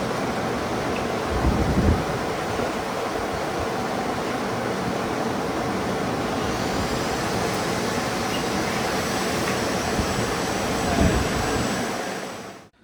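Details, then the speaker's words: Race car full-throttle dyno pull on slicks, after a flooded no-start was fixed with a replacement starter: loud steady engine roar held flat, then rising tyre hiss near the end as the slicks spin on the roller. Engine healthy, normal pull. "so another pretty normal pull you'll hear it go towards the end"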